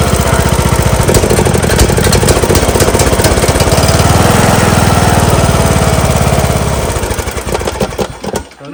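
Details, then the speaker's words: John Deere LA115 mower, 19.5 hp Briggs & Stratton engine that dies at idle and smokes black; lumpy, uneven putter that sags and dies. The plug looks rich; a bad needle is suspected of flooding the carburetor. Rough idle and stalling. "Looks a little rich. Looks like the carburetor flooding itself. Might be the bad needle overfilling the carb."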